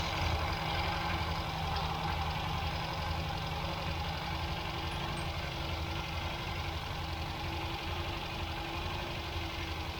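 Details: 1967 MGB Mk1 engine after refurbished carburettors and tuning: low, uneven, loping idle at a bit over twice a second that never settles; rough idle, with vacuum leaks suspected as the cause.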